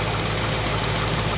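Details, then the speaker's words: 1973 AMC Hornet after vacuum repairs, timing set dead on, idling in gear: steady, even idle with a smooth low thrum and no misses or knocks; engine runs cleanly. "our timing is dead on actually you know I am going to put the car in gear and see what the idle is like than that looks like we're running great"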